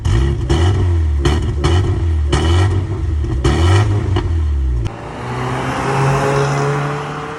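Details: Mk3 VW Golf with a resonator delete, not being driven because of a cooling fault: a deep, raspy idle with quick throttle blips that rise and drop cleanly. The engine itself runs fine.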